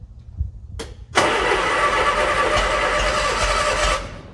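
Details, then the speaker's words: 1968 Bedford CA ice cream van being started after sitting, with the coil temporarily relocated. The starter churns steadily with a few pops but the engine never catches. "got a few pops even better try again right there come on"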